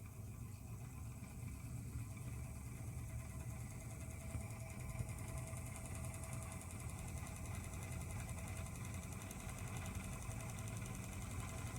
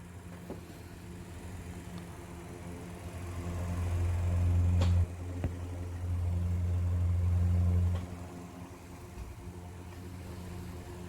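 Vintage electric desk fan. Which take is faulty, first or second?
first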